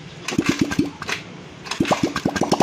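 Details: Motorcycle being troubleshot, after fuel pump confirmed working: several cranking bursts, a pause, then it catches with quickening regular pops; engine starts, fuel level in tank questioned; normal engine start.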